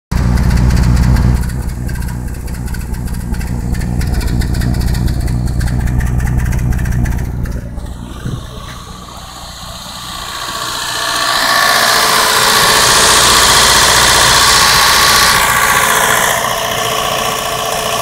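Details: 1992 Mazda 323 B6 engine, extremely hard to start, then idling roughly with a horrible misfire: a lumpy, uneven beat of about three pulses a second.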